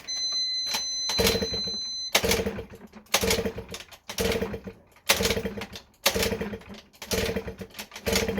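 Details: Honda Melody Mini scooter, carb just reinstalled, choke on, portable charge pack on battery: starter whirs in repeated one-second bursts, each dying off without catching; cranks but will not start.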